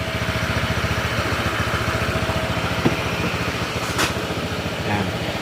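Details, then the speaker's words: Honda PCX160, about five years old, 45,000 km, after engine overhaul: steady even single-cylinder idle putter about three and a half beats a second, no knocks; earlier boat-like engine noise gone, back to stock. "Okay yan rin niyo yung tunog niya back to stock na yung tunog"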